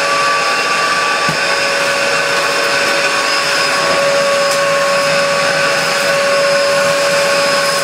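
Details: 1996 Dyson DC02 vacuum, before refurbishment, running with floor tool, filters missing; steady even high-pitched motor whine, constant loudness, no rattles or surges; strong suction, likely from lacking filters; motor running normally.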